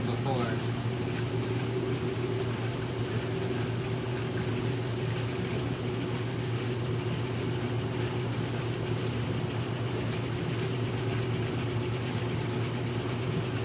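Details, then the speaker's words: Maytag top-load washer (1989 A482 or 1978 A408S), spin after rinse: smooth steady motor hum with no thumping or banging, cabinet barely vibrating; well-balanced spin. "very very minimal shaking almost the cabinet is only only vibrates from the motor but it's not transmitting any of that through into this outer cabinet"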